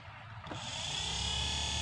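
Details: Hyundai Starex H1 heater blower motor after repair with a new 12-lamella commutator and copper-graphite brushes: steady electric whir that settles into an even hum, no scraping or ticking; normal blower motor operation.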